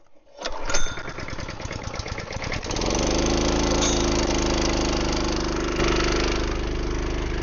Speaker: That's got problem. I don't like that.